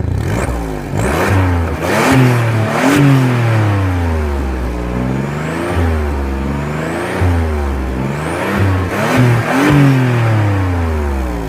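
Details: 2002 Audi allroad 2.7 twin turbo, repeated quick revs: raspy, blatty exhaust note from a leak in the driver's side exhaust flex pipe.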